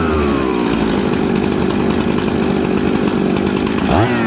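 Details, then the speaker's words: Jonsered 630 Super / Husqvarna 266 mixmaster chainsaw, warm cylinder, with the high jet leaned slightly too far: it screams high and steady, then bogs and falls off sharply when the throttle is blipped. The lean high jet also affects low-jet fuelling. "there did you guys see that when i leaned out the hijack too much just a hair too much it actually affected the fueling on the low jet and when i touched the throttle what did it do it fell on its butt"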